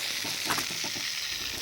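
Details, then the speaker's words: Backyard drip irrigation system, bubbler/dripper first mistaken for a leak: steady sharp water hiss with spitty sizzling, shooting out faster than it should; excessive flow at the bubbler. "it's the dripper here I thought it was a leak see it's shoot it's shooting out like faster than it should be look at that see there it shouldn't be going that fast Ah that's what I was hearing"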